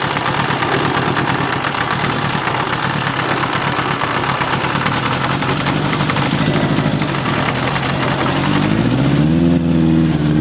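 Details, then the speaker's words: 1981 Honda CB750 K1 four on test ride, partly on choke: uneven choppy note hesitating and stuttering as revs climb; owner suspects intake vacuum leaks and carbs out of sync. "it's bog and it's stuttering it's just not running right so I'm guessing there's some vacuum leaks and probably carbs are out of sync"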